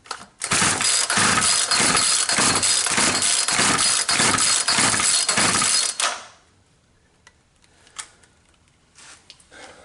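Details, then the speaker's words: Poulan Pro 220 38cc chainsaw, dry tank, primer not drawing fuel; about a dozen quick even pull-cord cranks with no firing, carb not getting fuel. "okay primer doesn't feel like it's getting gas up there let's get it back on the ground and try pulling it over"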